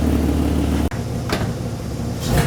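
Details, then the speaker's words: Peugeot 206 with swapped VR6 engine, cold: deep revs briefly cut, then sharp pops crackle as throttle opens; owner attributes popping to the cold engine and to lambda sensors not yet fitted. "Alors, le fait que j'accélère et qu'elle pète, d'une part, c'est parce qu'elle est froide. Je sais, c'est pas très bien."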